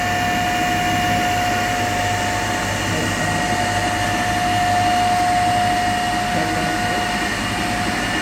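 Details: 3-phase induction motor coupled to a DC compound machine, running unbalanced with one phase open (zero current), about 1486 rpm, before the lamp load is increased. Steady loud fixed-tone hum over a rough throbbing drone; single phasing.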